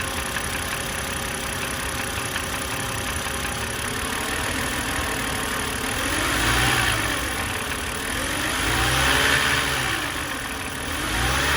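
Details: BMW E91 325xi with N52 engine: steady idle carrying an uneven, irregular knock that doesn't clearly follow engine speed; owner suspects a failed AC compressor or rod knock, not confirmed.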